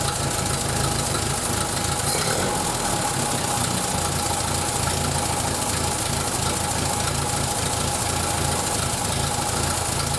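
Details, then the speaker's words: 1931 British Dodge Brothers UF-10 van engine, first start after restoring ancillaries, idling better than ever: steady idle with a sharp puffing tick on each firing pulse, exhaust manifold leaking. "Definitely exhaust inlet, or the exhaust manifold is definitely leaking, so I need to have a look at that."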